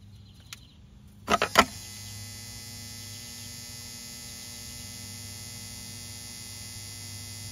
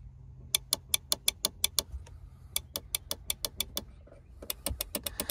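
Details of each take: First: Volvo Penta SX-A power trim/tilt pump motor, bench-run after smoke cleared; motor not hot, switched between directions. Clicks as power connects, then a quiet steady electric hum, no catching or grinding; spins freely, runs normally. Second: Volvo Penta SX-A power trim/tilt, trim button pressed: quick runs of sharp relay clicks near the fuse box with no motor hum after; power and relays work but the electric trim pump motor has failed.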